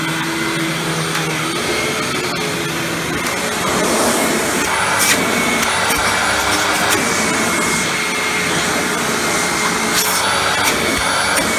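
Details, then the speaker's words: Hoover Windtunnel Supreme upright vacuum after motor replacement, test run without headlight: steady, even motor roar with smooth airflow rush, no surging or wind-down moan, much better than before; normal running. "and it doesn't have that loud wind down sound anymore"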